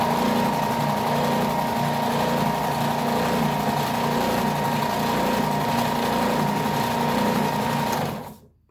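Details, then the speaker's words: New Ridgid oscillating belt/spindle sander, first run out of the box: even motor hum, a little louder than expected, with a light steady rub the owner attributes to the sanding paper, then a clean spin-down; normal running. "a little louder than I expected, but it also sounds like something's rubbing on something in there. A little bit. No, maybe not. That's just the paper."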